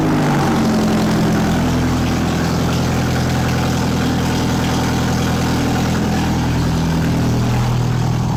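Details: Nissan Micra swapped to an Audi/VW 1.8 20V turbo, first start after coil packs, injectors and grounds were refitted: an uneven, lumpy idle with a wavering drone and irregular pulses; rough running, cause not confirmed.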